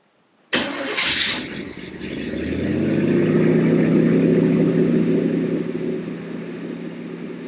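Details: 1979 Corvette small-block V8 with Edelbrock Torquer intake and an unexpected mild cam, choke not closing; starter whirr then catches into an even slightly loping idle, no knocks or ticks; normal idle.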